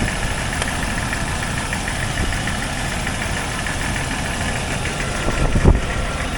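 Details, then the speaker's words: Jeep XJ idling after an engine clean and aftermarket valve cover install: steady idle with a faint, even tapping keeping time with the engine over a rough low rumble; owner believes a cracked piston, quieter when hot. "When it gets hot, it expands and it stops smashing as much. It's definitely a cracked piston. I'm pretty sure of it."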